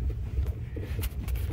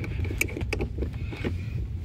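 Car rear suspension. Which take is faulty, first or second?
second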